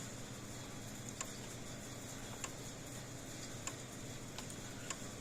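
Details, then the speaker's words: Old PEL 609 electric fencer after board repair and new capacitors, just plugged in: sharp quiet ticks a bit over a second apart over faint hum, no arcing crackle; quieter than before, transformer probably was arcing; tester reads about 7,000 V. Normal pulse. "ah hear that not as loud which means that transformer probably was arcing inside so this is a good sign"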